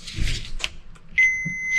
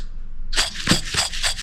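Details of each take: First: Starter motor (2.7 kW, from 2005 Toyota Prado 2.7 L petrol) on the bench, multimeter on continuity checking armature against commutator; clean, steady half-second beep from probe to ground: multimeter continuity beep. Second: Starter motor bearing (2.7 kW unit from a 2005 Toyota Prado) turned by hand gives a dry, gritty rasp in short bursts and feels dragging; the bearing has lost its lubricant and can let the shaft go off-center.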